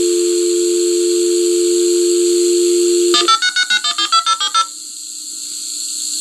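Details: Fire alarm digital communicator dialing out over a conventional phone line: a steady handshake tone, then about ten quick touch-tone bursts and a fainter closing kiss-off tone, with slight echo from the line. A normal report going through.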